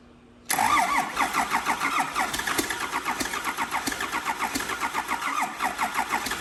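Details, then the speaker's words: 12-valve diesel test-fired in a Squarebody F-350 super dually frame, before clutch and transmission install, started by remote start with fuel shutoff held wide open: catches almost instantly and settles into an even, steady clatter with no misses; normal start and idle. "so when you hold the fuel shut off wide open they let it fire right up"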